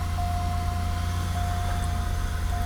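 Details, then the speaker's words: 2001 Buick LeSabre, 184,000 miles, low on coolant on a hot day: fires right up and settles into a deep steady idle with no knocks, misses or squeals; engine and transmission run strong. "the engine and transmission run strong I did drive it around the parking lot even though it is low on coolant it drove on my trailer just fine though let's fire it up fires right up"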